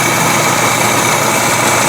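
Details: Replacement Weber carburettor after idle mixture screw backed in half a turn from rough setting: smooth, even idle with a steady note, no stumble or hunting.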